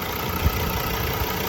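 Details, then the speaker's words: 2016 Ford Ranger 3.2 TDCi Wildtrak pickup, bonnet open: steady, even diesel clatter at idle with no missing beats or odd knocks, ticks over nicely, no oil leaks seen; normal diesel idle. "As you can hear, it ticks over nicely. There's no signs of any kind of oil leaks or anything like that."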